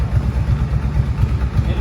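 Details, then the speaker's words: Warm Kawasaki Brute Force V-twin ATV at idle after jet kit, valve adjustment, new carb boots and Dynatek CDI to fix lean backfiring, bogging and dying: deep, steady, even idle; earlier ticking no longer audible. "she is she is idling so uh you can hear the ticking before you can't hear it now you can't hear anything right there"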